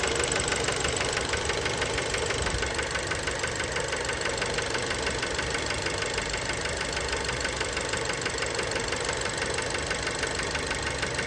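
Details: Fiat Bravo 2, 1.4 T-Jet 150 HP, 215,000 km, recently serviced, recorded close to the engine at steady idle: a sharp, regular knock about three per second. Worn rod bearings knocking; cause unknown, car scrapped.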